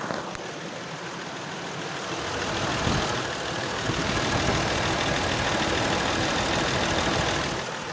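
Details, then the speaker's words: Ford F150 4.2L just reassembled after a clogged oil filter and sheared cam synchronizer gear were fixed, microphone on the motor: steady, even idle with a smooth hum and no knocking or clatter; previously sounded like it was blowing up, now healthy. "I don't know how it sounds in the mic, but in real life here, it sounds really good. Doesn't sound like it's eating itself."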